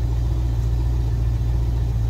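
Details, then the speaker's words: Stingray cuddy cabin boat engine started after being flooded by Hurricane Ian, run for a few minutes to flush out brackish water: deep, even rumble holding steady without coughing or misfire; running cleanly. "boy that sounds good that's a good sound I love hearing that I love hearing that"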